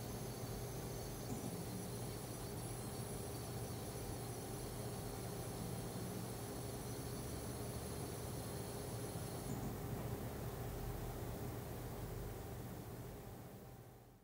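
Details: AMD Radeon HD 7990 graphics card in The Witcher 2 EE menu/loading screen: thin steady high-pitched coil whine over fan rush, cutting out abruptly.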